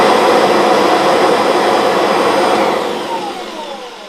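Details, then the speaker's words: Kirby Avalir vacuum with worn, loose mini emptor that moves up and down, so the machine sometimes won't turn on: steady roar, then the motor loses power and pitch sinks away as the loose connection breaks contact. "Now the issue I've got, and I'll show you, but what happens sometimes is the machines don't turn on. And what happens over time is these wear."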